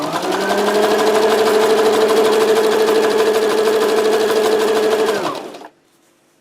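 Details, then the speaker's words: Sewing machine on widest zigzag after trimming a sharp-edged rib that caught thread and caused knocking and braking: smooth steady whir, no knocking or dragging, clean stitch; normal running after repair. "видите строчка отличная идеально ничего не стучит"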